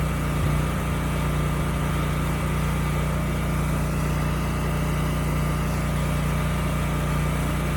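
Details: Used generator (model HU40500G) after new generator head installed, replacing one with a bad DPE/AVR winding: steady, even engine drone under a 3,000 W load, no hunting or misses.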